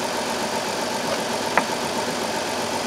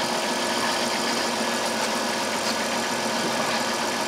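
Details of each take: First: 2002 Chrysler Town and Country 3.3L with code P0305: idle slightly uneven with one sharp snap midway during spark test with test light; cylinder 5 has no spark at all and is dead, engine runs rough. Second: 2002 Chrysler Town and Country 3.3L V6 after fixing a P0305 cylinder 5 misfire by replacing the coil: smooth, even idle with no stumble or dropped pulses, all six cylinders firing cleanly.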